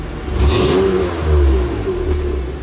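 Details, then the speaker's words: 1991 Acura NSX track car with J-series engine swap and AEM standalone ECU, idle being adjusted to about 800 rpm: two throttle blips, revs dip to 650 and hunt before settling; idle set too low, dip after rev. "Dipped to 650 there, so it looks like somewhere between there is the right spot."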